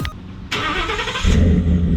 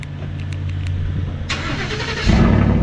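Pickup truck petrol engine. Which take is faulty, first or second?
second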